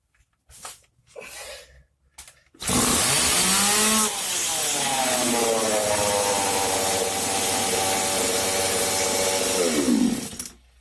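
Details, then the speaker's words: Stihl chainsaw cold start with choke procedure: after a few starter pulls it catches and holds a steady high buzzing rev at medium (fast idle) throttle setting, no misses; normal. "То есть вот она у нас завелась на средних оборотах."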